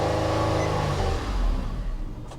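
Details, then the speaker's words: 1982 Cadillac Seville auction car: engine catches and runs briefly, then beat fades and dies within two seconds, fires right back up; gauges show empty tank, stalling from fuel starvation. "sounds like a fuel issue doesn't it oh it is a fuel issue hold on oh she's out of gas"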